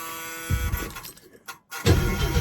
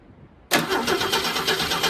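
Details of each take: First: 1937 Plymouth sedan with about 100,000 miles, cranked after the solenoid cable was tightened; after a short pause the starter spins the engine over briskly with an even chugging beat, about four per second, cranking healthy. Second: V8 on a 1971 Ford Torino or 1937 Plymouth catches briefly and runs roughly on fuel added by hand: fuel delivery problem, not spark plugs; no valve train noise, slight exhaust leak.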